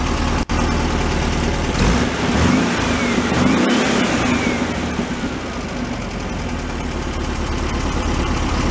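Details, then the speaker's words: 1978 VW Super Beetle convertible, fuel-injected flat-four with a tired engine, after fixing an oil leak and tightening a leaking fuel clamp, warmed a couple of minutes: it idles, then revs cleanly and drops back smoothly, sounding better than before. "sounds a lot better than before"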